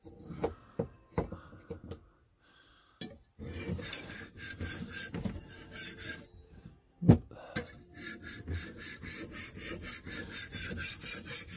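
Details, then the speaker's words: Hand-sharpening a kitchen knife on a wet sharpening stone; repeated gritty rasping grinding strokes mean the stone is cutting; a glazed stone makes no sound and needs honing oil or more water. "so one of the signs that your stone is glazed is that it doesn't make any sound at all you kind of want to hear this grinding noise that you can hear now and if you don't hear anything then your stone is probably glazed"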